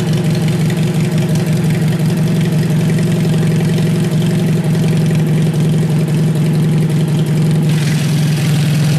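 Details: Worn-out Kohler engine on cold start: steady low single-cylinder thumping with an uneven rough beat under it; owner says it needs rebuilding; worn engine.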